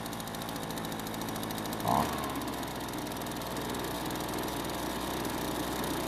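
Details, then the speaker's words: Kawasaki-branded two-stroke leaf blower at its spring start-up; after a brief blip it idles steady and even with no misfires or knocks, running as it should. "and fortunately the leafblower worked just like they're supposed to"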